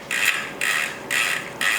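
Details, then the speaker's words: Custom-built Rourke bicycle being serviced: short bursts of light, even ratchet clicking as the rear wheel spins, with no grinding or dry rasp. The freehub sounds normal and healthy. "oh yeah, that's perfect now, that's brilliant. That sounds really, really nice."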